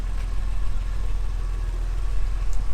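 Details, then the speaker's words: 1978 Jaguar XJ6 Series 2 barn find after bleeding cooling system and running heaters: smooth, steady idle about 800 rpm with even beat, no ticking or stumbling, temperature gauge sitting nicely; running well. "seems like we might have fixed something there so as you can see it's running lovely now sitting taking over"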